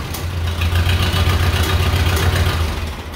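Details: Case 300-series tractor (311B/300B), first start on full choke in neutral after a carburetor clean and rebuild: a low steady chug with no misses or knocks. Running evenly.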